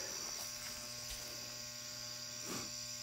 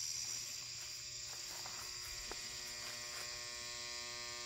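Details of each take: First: 400W high-pressure sodium floodlight, owned 8–9 months and switched on for the first time, still warming below half brightness: a steady low mains hum with a thin high whine. Its ballast hums much louder than the owner's other fixtures. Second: 400W HPS Hubbell flood light: a steady, even electrical hum with a bright buzzy edge from the ballast while the lamp warms up; normal.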